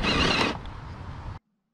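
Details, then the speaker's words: Gmade GS02F Komodo Double Cab RC crawler on the trail: a burst of dry ratcheting as the rear axle turns and the front one does not, then it grabs again. "Because the drive shaft would spin, there'd be a horrible noise, but you'd get normal forward m"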